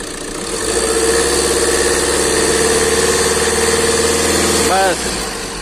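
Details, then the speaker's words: Tata Nexon engine that had been misfiring with no pickup, after the head was opened and valve timing reset and reassembled: it catches and settles into a steady, even idle with no missing or knocking. "तो हमारा engine total fitting हो गया start करते हैं और wishing check कर लेते हैं"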